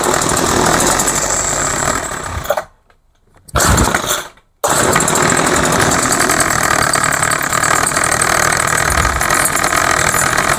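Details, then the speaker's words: Craftsman 21cc two-stroke hedge trimmer with new fuel lines and a rebuilt carb: it buzzes, drops out twice, recatches and runs unevenly. Rough running and stalling; owner suspects carb metering side or adjustment. "Okay, so obviously it needs adjustment. Or I did something wrong in the carb. I don't think so, but you never know. Most likely did something wrong in the carb."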